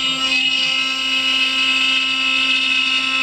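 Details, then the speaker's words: CNC router near the end of the finishing cut on a pine piece, about 1 h 35 min in. Steady high whine at constant pitch, no chatter, bogging or knocking; spindle cutting smoothly. "I'm cutting this out of pine by the way as you see we're coming towards the end of it now we're getting on with it we're nearly there"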